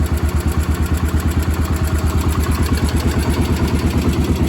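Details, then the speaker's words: Cub Cadet 1250 hydrostatic garden tractor, single-cylinder, restarted after sitting 20 years under a barn shelter, carburetor adjusted: even low thumping about three beats a second, steady, no misses, no smoke; healthy idle. "listen to that that is quiet in ain't smoke I ain't seen smoke a drop"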